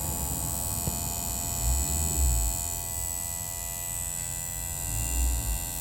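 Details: 2009 Volvo V50 1.6 making a constant low electrical-sounding buzz at one steady pitch; unexplained buzz, source not pinned down.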